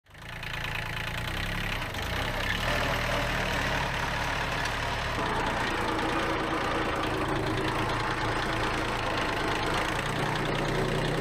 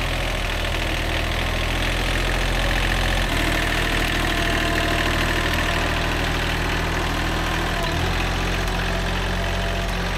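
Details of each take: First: Worn Kubota B7100 tractor running with a constant whine from the rear gearbox; a chipped gear tooth and chewed-up bearings were found, so the gear and bearings need replacing. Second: Old, worn Kubota B7100 diesel tractor after a gearbox rebuild that replaced chewed-up gears and bearings: a steady beat with a couple of smooth speed changes and no driveline grinding or clunking; the earlier gearbox noise is gone.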